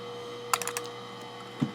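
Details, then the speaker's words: Macintosh PowerBook Duo 230 hard drive (Quantum Go Drive series) in a quiet room while it accesses data: a burst of light ticks, then one soft click as the heads automatically park. This is normal, not a defect. "that click is the headge automatically parking that's all it is exactly"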